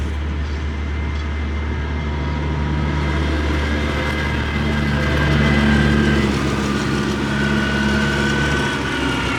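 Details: 2024 CAT 289D3 skid steer diesel with a crank-no-start complaint, started after the electric lift pump refilled the fuel system: settles into a smooth, even idle with a steady low drone, no misses or knocks. Normal diesel idle.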